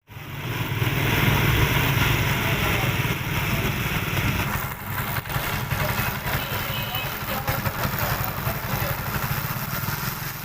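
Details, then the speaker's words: Motorcycle idling with a raspy rubbing grind that rises and falls unevenly from the chain; fault caused by improper, uneven chain adjustment leaving it too tight in spots and binding. "देखें ये fault कब आता है जब आप bike की चैन की judgement करते हैं और सही से आप नहीं करते चेंज ना करने की वजह से ये फैट आता है"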